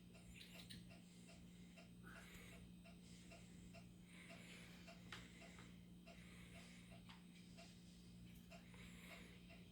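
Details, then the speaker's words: Country wood stove insert about 10 minutes after lighting, door closed, draft rod fully pulled out: light regular ticks about three per second over a low hum and soft fire crackle. This is normal thermal expansion during warm-up. "so that ticking noise that you can hear is because the stove's warming up"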